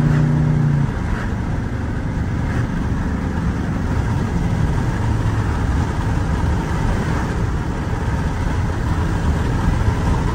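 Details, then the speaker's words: Cammed 4.8 Silverado V8 with Summit Racing cam and higher-stall torque converter, street tuned, driving warm at moderate throttle: strong even drone, slightly lumpy cam beat, no knocks or ticks; healthy, pulls strong. "so for four eight she's healthy she pulls nice and strong I haven't stepped on it hard but moderate throttle she sounds good feels good"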